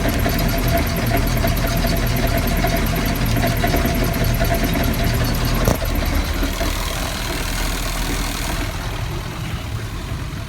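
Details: Volvo Penta 5.7GI marine V8 at steady idle with a loose, irregular clunking about twice a second that seems to come from the rear of the engine; cause unknown.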